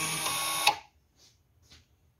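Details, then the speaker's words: 2018 Volkswagen Golf 1.4L petrol, ignition on, electric parking brake released for rear pad replacement: brief, steady electric whir under a second that stops cleanly; rear caliper motor releasing normally. "we're going to release the brakes can hear the noise the brake is releasing"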